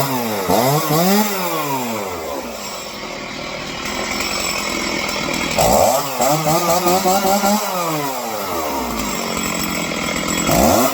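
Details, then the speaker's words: Stihl chainsaw two-stroke after carburetor tuning for not idling on the low end: crisp revving that drops back cleanly to a steady idle, with no stalling or bogging; normal running. "Alright, so that's fixed."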